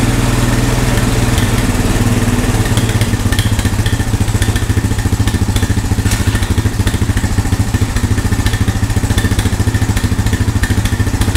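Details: Honda ATV found at a yard sale, revived with no parts after checking spark and compression and adding fuel: single cylinder thumps along at a steady, even beat, no misses or knocks; engine running healthy.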